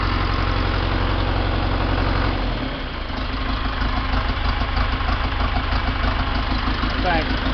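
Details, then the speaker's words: John Deere 2030 diesel tractor out of gear after valve adjustment, injector line gasket fix and injection pump timing set by ear: slightly uneven loping idle that smooths at higher rpm, stack clearing; mild miss remains, owner suspects it needs a head job. "Stack's not terrible. Let's go ahead and rev it up. Stack clears up under higher RPM."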